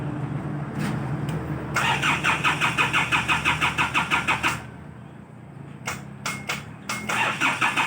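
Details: Isuzu Bighorn parked unused about 8 months since end of 2022: starter cranks at about three beats a second in two long tries without catching, engine reluctant to start after sitting; hard starting.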